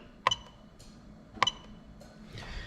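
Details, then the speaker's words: Lexus LS400 1UZ-FE VVT-i engine harness adapted for a Lexus IS200 swap: two crisp single clicks about a second apart in a quiet bay as the A/C magnetic clutch relay, in the fuse box beside the ECU, is commanded via OBD2 active test; relay switching normally. "so the ac media clutch relay is activating from the one user ecu when i do the command via the active tests on the obd2 machine"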